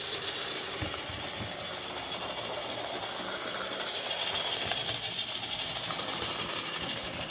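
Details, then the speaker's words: Lima Class J50 model locomotive after CD motor conversion kit and extra pickups: steady motor whir and light even wheel ticking, running smoothly without stalls; odd noise cured by moving the motor plate washers to the correct side. "that sounds better that sounds a lot better yeah i think that's what it was i had those little washers on the wrong side of the plate"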